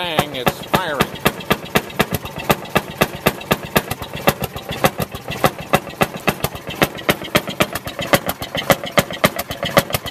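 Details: 1948 Fairmont M19-F rail speeder single-cylinder engine after cold start, primed with choke then started: sharp evenly spaced bangs about four a second, each firing stroke spinning the flywheel; running fine while warming up.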